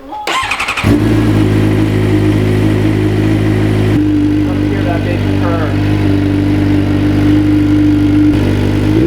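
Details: Suzuki GSX-R600 sport bike just restarted after an oil change, run about 30 seconds to circulate oil: quick crank and catch, then a steady, slightly raspy idle with an even beat, no knocks or rattles; healthy.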